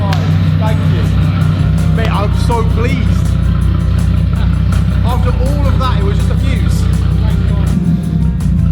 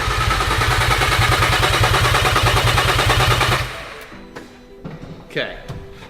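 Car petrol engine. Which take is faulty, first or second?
second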